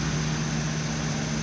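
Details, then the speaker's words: Old Toyota pickup engine at fast idle after start, in neutral with clutch pressed: steady even drone, slightly raised idle, no timing belt slap, knocking or valve ticks; runs perfectly, idle drops as fan clutch slows. "running good no timing belt slap no knocking no valve ticks"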